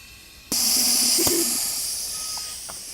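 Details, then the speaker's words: IK pump sprayer filled from an air compressor line through its Schrader valve: at max pressure the automatic pressure relief valve vents with a sudden steady hiss that slowly fades, which is normal and expected. "and that's at max pressure sounds good that's what you want to hear that hissing is a good thing don't worry your sprayer is not going to blow up because it does have that automatic release valve"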